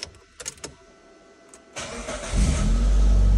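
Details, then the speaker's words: Mitsubishi Lancer 9 after Euro 2 chip tuning, failing to start at first because the immobilizer had originally been disabled: brief crank, then the engine fires cleanly to a steady, even idle with no warning lights; starts normally. "автомобиль завёлся Всё у нас ничего не горит автомобиль готов"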